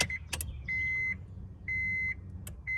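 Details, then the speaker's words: Acura RSX K-swap rewired from automatic to manual, after fixing missing ECU ground: sharp relay clicks, then short bursts of thin high-pitched hum as the fuel pump primes with each key cycle; normal priming. "hear that you can hear the relay chipper from the fruit pump also so let's see if you guys can hear the fuel pump"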